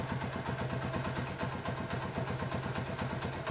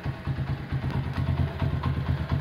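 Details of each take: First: Honda CB100 K3 engine with CDI, after refresh and new iron exhaust mount; idle now settles low, head quiet, steady idle with light tapping about twice a second from the middle of the engine, suspected crankshaft or clutch. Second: Honda CB100 K3 with CDI, after rework on a bike that previously would not idle down, started: low, steady single-cylinder idle, even unhurried pulse, smooth quiet head; idle now comes down low, normal idle.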